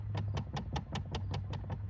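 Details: 2013 Dodge Charger, under the dash: sharp, even clicks about five per second repeating steadily; failing blend door actuator, with both driver and passenger sides bad.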